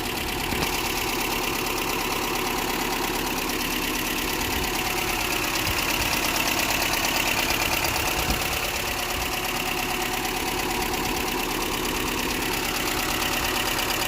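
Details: 1993 Toyota pickup 22RE, reportedly rebuilt, idling warm: a busy, rattly top-end clatter at about three taps a second. Past about 3,200 rpm it feels like a misfire and loses power with no flashing light. Owner suspects timing; cause unconfirmed.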